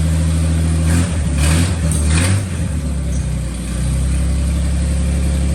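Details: 1941 Dodge half-ton pickup straight-six, sitting 39 years, started after a carb clean on a 6-volt battery clipped on with a temporary fuel setup: after a few throttle blips it settles into a steady, even low rumble with no knocks or misses.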